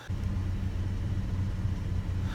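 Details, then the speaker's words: 1999 Chevy S-10 2.2L with a very rough idle; scan showed P0301 cylinder 1 misfire and P0141 downstream O2 sensor codes: low idle rumble with an uneven, lumpy, wavering beat, likely the misfire. "the problem that I'm having is that it's got a very rough idle so I scan the vehicle and came up with two different codes"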